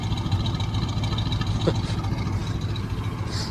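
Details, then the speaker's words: Old Chevy squarebody plow truck, first start in about 20 years, cold: deep, even idle with no misfire; some piston slap rattle from forged pistons while cold. "doesn't even sound like it's missing really no idle nice"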